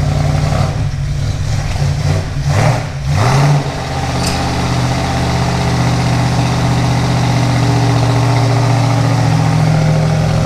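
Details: 1971 Plymouth Duster 340 V8 installed in a 1936 Dodge street rod, after hooking up the heater and refilling antifreeze: deep, steady idle with an even lope after a brief blip, no knocks or misses; normal idle.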